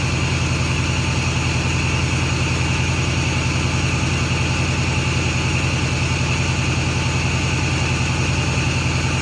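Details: Ford F350 6.4 Powerstroke diesel after new turbo install replacing bad-seal turbos: steady, even idle with regular low pulse about 158 per minute, no misses or odd noises; healthy.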